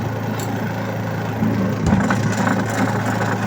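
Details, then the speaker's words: Astro spin dryer running with a load of clothes, recorded from underneath with the back cover off. A low hum turns into an uneven rattling scrape from a loose spring spinning under the dryer's foot. "So kung mapapansin ninyo 'yung ayon yung spring na umiikot. Ayan oh. Umiikot sa ilalim."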